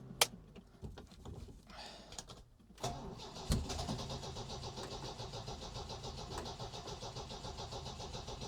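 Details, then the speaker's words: Supercharged MGB with Weber DCOE carburettor, after idle screws reset to one and a half turns out and a tiny bit of choke; starter churns steadily for several seconds but never fires even though fuel is pumping: cranking no-start, cause unknown. "Not starting. Why is this thing not start? The fuel's pumping."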